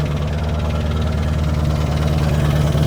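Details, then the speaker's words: Chevrolet Corvette V8 at idle after a full exhaust install and distributor timing adjustment: loud idle with an uneven, fast clatter of about three knocks a second over deep exhaust pulses; an exhaust leak underneath is suspected, and the valve cover may be pulled to check. "I don't love that [Music] sound. I don't like that noise at all. It might go away."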